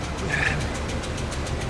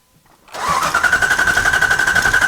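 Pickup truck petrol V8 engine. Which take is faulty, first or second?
first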